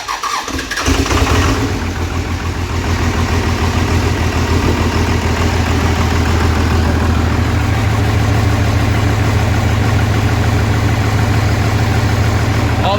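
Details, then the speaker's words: Diesel truck with a new transmission, first start after reassembly and bleeding injectors on cylinders one, three, four and five: cranks briefly, catches hard and settles into a steady, even idle with deep rumble, no misses; healthy, no check engine lights. "oh she's healthy all right so she runs no check engine lights"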